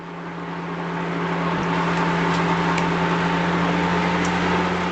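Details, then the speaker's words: GE washer driven from the SmartHQ service module: steady turbine-like whine with rushing air that grows louder as the drum reaches 800 RPM; normal high-speed spin. "Okay, we've reached 800 RPM. We're at the point of no return."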